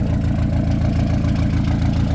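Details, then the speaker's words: Diesel at steady idle right after fuel injection pump synchronisation/timing, engine not yet very hot: even low clatter with no hunting or misfire and zero smoke. Engine sounds healthy. "ça y est j'ai fait toute ma synchro de pompe ça tour r ça fume pas zéro fumé et encore là les pas très chaud la voit"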